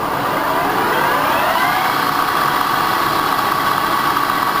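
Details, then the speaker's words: 1989 SHARP 24" x 120" geared-head engine lathe, startup to 860 RPM spindle speed, machine fitted with an electromagnetic foot brake: gear whine climbs as the spindle spins up, then settles into a steady, even hum with no knocks; healthy startup. "This is 860 RPM, and I just want to let the viewer hear the startup of the machine."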